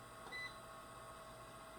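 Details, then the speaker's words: Secondhand electric fireplace insert, said to be lightly used, heater fan running before teardown: steady, thin, slightly raspy whirring hum; heat output fine, owner suspects worn or dry fan motor bushings or bearings needing lubrication. "either the bushings or bearings are going or they just need lubed up so we're gonna try either or but it does blow very nice heat so everything else seems to work but it's just making that god-awful sound"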